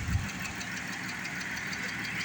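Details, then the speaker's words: 2012 Chrysler Town & Country 3.6L VVT idling after five minutes with engine flush, before oil change: light fast tick over the engine note; hydraulic lifter still ticking, expected to quiet down. "there's the lifter it's still talking to us it's all right it's going to quiet down"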